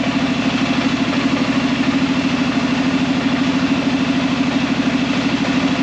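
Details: Arctic Cat Prowler engine just rebuilt with new pots (cylinders), first start after priming the carb: even, regular firing pulses at a low steady idle, no knocks or misses; running fine.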